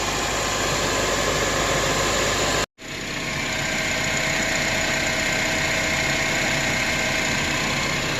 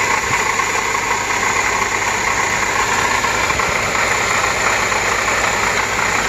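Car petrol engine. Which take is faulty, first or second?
second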